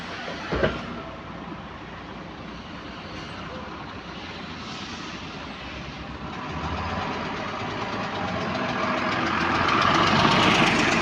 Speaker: Someone needs to tell me what this repetitive ticking noises. I've noticed it gets faster with the engine. It gets slower with the engine. And you only hear it when the throttle is being pressed.